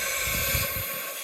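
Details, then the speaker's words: Chinese wastegate bench-tested with applied air pressure: a steady high hiss builds as pressure rises. The wastegate leaks before it opens. "All right, the China boy. Start adding pressure. As you can tell, you can hear it start leaking."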